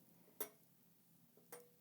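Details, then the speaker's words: Cheap store-bought heater in a DIY vacuum former, heating up, quiet room: two sharp isolated ticks about a second apart, likened to summer rain falling; cause unknown. "It even makes some weird noises when it heated up, like the summer rain is falling or something."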